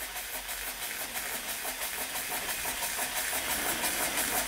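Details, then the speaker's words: Weeden 38 model steam engine, at least 105 years old, previously leaking steam badly, started once steam pressure built; soft quiet hiss with slow, even chuffs about three per second: normal running. "Not exactly the fastest steam engine in existence, but it is running. Bear in mind, this is at least 105 years old. And very quiet too."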